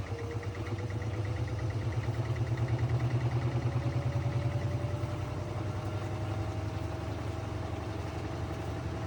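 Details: GE Hydrowave washer after washer motor replacement (not-spinning fault): quick drain and spin gives steady low hum gently rising as drum spins up, smooth, no knocking; normal spin.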